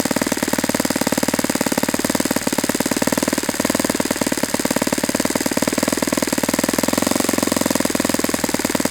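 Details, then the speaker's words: Saito FA-91S four-stroke model engine at a fast idle, aimed at about 2300 rpm: crisp, even firing, and on the pinch test rpm picks up then drops back. The idle mixture is correctly set. "See, that seemed like it was about the right response to the pinch test. You can kind of hear the RPM pick up and then drop back down."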